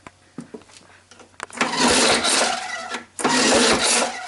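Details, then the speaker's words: 1967-69 Lawn Boy tan-model mower, 21in magnesium deck, sat unused about 5 years; two hard pulls bring a rough, sputtering rush each time but it never catches, close to starting: cranks but fails to start. "okay sounds like it wants to start you know it's kind of close to it"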